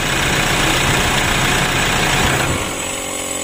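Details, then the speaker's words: Toyota Innova diesel, hard to start: a drawn-out, labored crank of about 2.5 seconds before catching and settling to idle. Mechanic suspects slow starter speed, caused by either the battery or the starter motor. "di sini untuk mesinnya sudah hidup starter pertama itu agak panjang dikarenakan apa Menurut saya itu putaran dari dimustater itu kurang kurang kenceng begitu"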